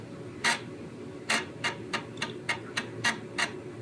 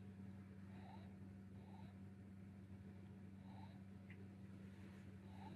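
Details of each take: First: Commodore Amiga 600HD booting from floppy: sharp, uneven clicks about once a second with quiet gaps; the floppy drive head stepping normally while it loads. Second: Amiga 600HD after boot: steady low hum with a faint repeating chirp about once a second; the hard drive seems to try to spin up without getting going, cause unconfirmed.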